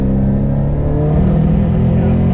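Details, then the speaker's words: 500 hp Subaru STI in second gear at full boost: deep drone stumbling as cylinder 2 misfires (23 misfire counts), sounding like no spark; burnt valve or intake leak suspected, not confirmed. "Yeah, I can hear it now. It sounds like it's like no spark whatsoever."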